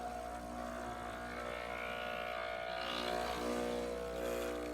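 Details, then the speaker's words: Breville espresso machine after replacing the faulty solenoid valve assembly that caused loud buzzing, pulling a test shot with steady pump hum and smooth rising hiss, no straining; normal brewing. "well we replace the valve assembly and here it is working once again so we're gonna pull shot and you can hear these sounds are of normal operation"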